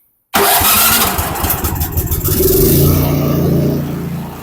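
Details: Cub Cadet 3X snow blower after drive belt replacement, electric start with primer, choke and throttle. It catches immediately, then settles into a steady, even run and picks up slightly with throttle. A clean, normal start.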